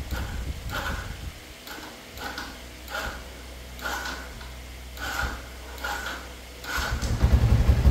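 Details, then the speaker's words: Yamaha Exciter 135cc motorcycle with recently replaced new battery: starter churns in uneven pulses about every three-quarters of a second for nearly seven seconds before the engine finally catches; long cranking, hard start, cause not yet found. "Tôi lại ấn lại một vài lần nữa thôi. Đề rất chi là khó lên các bạn nhé."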